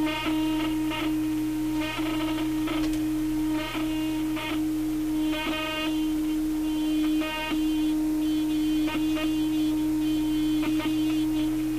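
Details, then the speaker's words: General Electric C-411 radio phonograph playing a test record: steady tone comes through gritty and buzzy with surface crackle; distortion from its basic, worn cartridge and needle, with replacement being considered. "distortion it's not very fair to to take a record player like this and put one of these test records on it this is really meant for a a high quality modern turntable cartridge and needle and the like"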